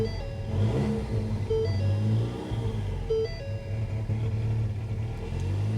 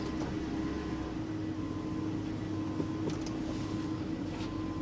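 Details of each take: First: 2016 Ford Mustang EcoBoost turbo, 94,000 miles, at salvage auction, low fuel: throttle blips give a raw, uneven, droning note unlike other Mustangs before settling to idle; something in exhaust seems off, cause unconfirmed. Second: 2007 Mercedes GL450, about 121,000 miles, at an auction lot, with an air suspension warning: quiet, even hum with a steady low tone and no knocks, ticks or misses; a smooth, healthy idle.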